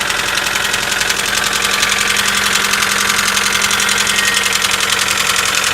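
A rapid, sharp metallic ticking rides over the idle at about four per second, a knock that shows up after a cold start.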